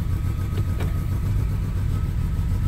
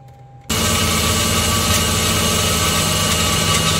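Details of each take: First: Mercedes-Benz W212 E300 petrol engine at cold start: uneven, lumpy idle with a faint thin whistle and heavy vibration, stalling on gear change until warm-up (~10 min); rough idle from intake manifold vacuum leak, variable flap stuck closed. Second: Mercedes-Benz W212 E300 petrol, cold start after intake manifold leak repair (earlier rough idle, stalling for ~10 min until warm): engine catches and settles into a smooth, steady idle with even low hum; normal, though an air pump running long seems abnormal.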